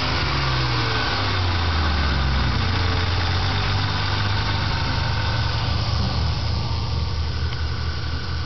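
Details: Mustang V6 near idle, noise heard between 1000 and 1500 rpm; light fairly steady knock or tick about four a second; owner unsure whether weak lifter or bad rod bearing; engine knocking noise, cause undetermined.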